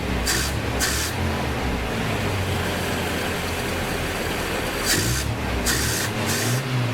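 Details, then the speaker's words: Toyota Hilux with points-replacement ignition, started on a couple of litres of fuel, radiator refilled: steady even idle holding speed on its own under a few loud hiss bursts; nothing wrong. "all right that's almost pure and Steven sitting there idling by itself so nothing wrong with that"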